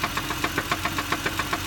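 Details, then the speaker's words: 2009 Chevy Impala former police cruiser, 3.9L engine, 92,000 miles. Sharp, regular tapping about seven per second rides over the engine note, occurring only at certain rpm: an engine knock of unconfirmed cause. "this one has a bit of a knock in the motor it has a 3.9 liter you can hear that it only has it at certain rpms"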